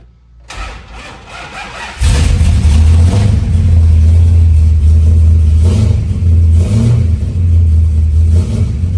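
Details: Monaco engine started after cleaning voltage regulator contacts and regulator/chassis grounds in a charging-system repair: cranks, catches at two seconds, settles to a steady even low-rumble idle and now charges; normal running.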